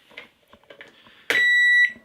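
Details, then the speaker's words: Microwave oven plugged in with the relay's transformer lead disconnected for testing: a single clear half-second high-pitched beep, the usual power-on chime; unit did not activate, pointing to the relay as the fault. "Ahí sonó el típico ruido que hace cuando lo encendemos y fíjense que no se activó."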